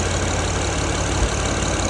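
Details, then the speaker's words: Acura MDX, used car bought without inspection, misfiring, idling: rough, uneven idle with a steady low puffing rumble and hiss, smoke escaping underneath; exhaust leak from a clogged, busted catalytic converter. "You can hear the noise, pressure. Can you come here for a minute? You can see your catalytic converter busted."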